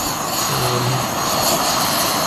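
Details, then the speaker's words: MSR SuperFly isobutane canister stove on an MSR ISO-Pro canister at just over 9,000 ft on Mount Bachelor, about 40°F air: steady, even hissing roar with no sputter or surging; burns normally, same as at lower elevation. "but uh it is burning just like it would uh every time I use it at lower elevation"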